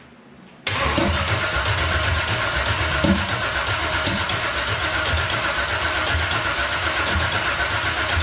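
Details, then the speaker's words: V8-swapped GMC Sonoma first start attempt, fuel cell nearly empty: starter spins the engine at a steady, fairly quick rhythm but it never fires; valves suspected adjusted too tight, not confirmed. "yeah that's sounding like some valves are maybe adjusted too tight right so that's number one spark plug cranking it over now"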